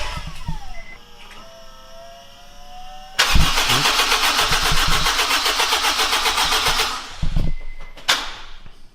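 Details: Honda Integra DC5/RSX with new Racing Circuits engine harness, first start attempt in 8 months: starter whirs about three seconds before catching, then runs unevenly a few seconds and stops — hard, hesitant start.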